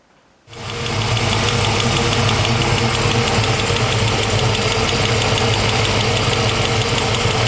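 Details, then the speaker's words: A 1970 Camaro SS with a BluePrint 396 V8 and Tremec 5-speed, on its first fire in the car, catches and holds a steady idle with a faint rapid knock mixed in. This is an unidentified engine noise, source unclear. "oh well guys we're trying to get this thing fired up actually we did get it fired up but uh there's a noise coming from the motor i'll show you a video of that"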